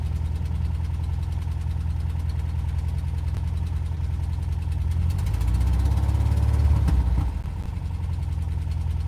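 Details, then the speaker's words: Engine after a long crank to start, mic windscreen off. A loping, uneven idle; a short rev stays ragged before dropping back to a rough idle: rough running with knocking. Oil is low; cause not confirmed. "Have you heard enough? Right. It sounds really bad."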